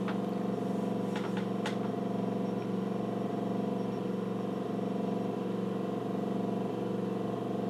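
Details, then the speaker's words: Nikon LS-8000 ED film scanner on the second VueScan prescan of color slides, autofocusing; steady low motor hum with even soft pulse about three times a second, no grinding or catching; normal prescan operation. "now it's starting to do the second prescan so it's Auto focusing for"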